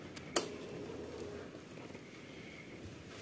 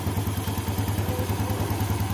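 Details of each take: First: 2014 Yamaha Jupiter Z1 motorcycle, cold engine starting and idling: steady rattly kletek clatter that seemed internal but came from a clogged crankcase breather, before cleaning. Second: 2014 Yamaha Jupiter Z1 that clattered ("kletek") when cold: after the clogged hose in the breather system was cleared of water, the engine idles smoothly with a steady low beat and the clatter is gone; it was not the clutch.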